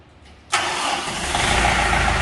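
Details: Kubota tractor/combine diesel after checking the mechanical engine stop solenoid relay circuit. It is quiet, then the diesel catches at once and settles into a steady, clatter-free idle; a good, clean start.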